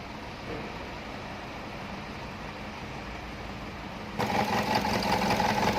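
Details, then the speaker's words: 2011 Chevrolet Captiva 2.4 L petrol idling with uneven, loping shake, code P0300, cylinder 2 suspected of misfiring; injector swapped to cylinder 4 to test, cause a faulty injector, fixed by replacing it. "ตอนนี้นะครับเจอโค้ชไรปัญหานะครับp0300นะครับการจุดระเบิดไม่ครบสูบของเครื่องยนต์นะครับ"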